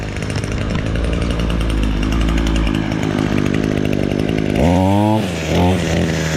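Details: Echo SRM-225 two-stroke string trimmer, previously bogging down, after removing the carboned exhaust screen: holds a steady high buzz at full throttle, then revs up and back cleanly without bogging; runs strong and healthy.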